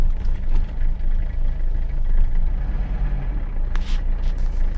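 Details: Abandoned Mercedes 300CD diesel, started after third glow plug cycle before first road drive: low, even rumble settles into a steady idle with no misses or knocks; starts and runs smoothly.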